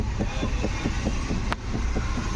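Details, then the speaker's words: Ford EcoSport steering column: dull, regular thuds about four or five a second under road rumble, heard when turning or over potholes; steering rack already replaced and cross joints checked, the knock is inside the column. "Column के अंदर डबक डुब की आवाज आ रही है"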